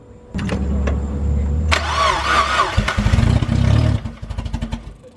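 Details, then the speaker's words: NB chassis car said to start but make funny noises, revved after starting: it cranks and catches, then idles unevenly with a hollow rod knock. The motor must be pulled to fix it. "it has rod nook so I got to pull the motor and fix that"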